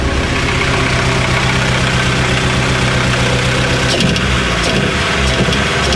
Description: My nova turbo has a misfire. ITS FOOKED!!!!